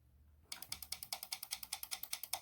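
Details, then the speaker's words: 1996 Land Rover Discovery ABS solenoid on the bench, driven from 12 V by a homemade oscillator and flip-flop switch for brake bleeding: crisp, even metallic clicks about nine a second, no buzzing or hesitation; solenoid switching cleanly, normal operation. "you can hear that solenoid working that's what you want to hear"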